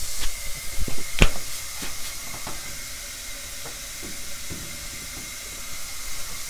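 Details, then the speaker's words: 1963 Austin-Healey Sprite cylinder leak-down test set at 50 psi, holding only 10 psi (about 80% leakdown). A faint steady hiss with a few clicks as the cylinder fails to seal; burned valve suspected, not confirmed. "i gotta listen to that thing hiss which makes it a lot harder for me to tell whether it's coming out the intake of the exhaust here"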